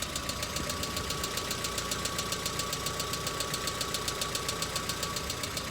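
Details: Hyundai Accent cold start, about a minute after starting: a steady, sharp, diesel-like ticking near four per second at idle that comes and goes. The owner suspects the hydraulic lifters and has driven with it for 3–4 years.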